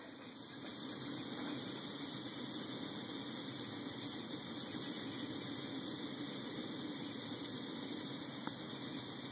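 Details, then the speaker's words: MSR Whisperlite stove converted to run on isopropyl alcohol/E85, burning steadily: soft even roar, quieter than on white gas, no sputter or surging; turning it up further can saturate the valve and make it spit liquid and sputter. "not as loud as running white gas but that flame dispersion is beautiful"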